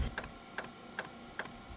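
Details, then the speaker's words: Chinese diesel heater (Webasto knock-off) in a van at startup, emitting white exhaust smoke: sharp regular fuel-pump clicks about 2.5 per second over a faint hiss. The pump later shuts off, the flame lights and the smoke clears. Ignition trouble, cause not yet pinned down. "So you can still hear the fuel pump pumping, clicking away, click, click, click, click,"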